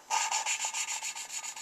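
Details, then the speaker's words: Suzuki Sidekick cylinder head rebuild, lapping new valves into seats by hand with light pressure: steady back-and-forth rasping about five strokes a second, harsher scrape at each stroke start; seat still needs more lapping. "so I'm just gonna keep going until I get rid of that grinding sound at the beginning I'm not pushing down very hard"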